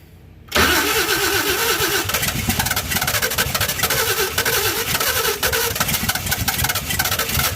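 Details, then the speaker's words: 1952 Chevy first start after fitting a fuel pump and adding oil. It cranks and fires at once into a busy, steady idle with even firing and no knocks; a normal start and idle. "now let's give it some fire get my throttle over here [Music] oh boy that sounds good"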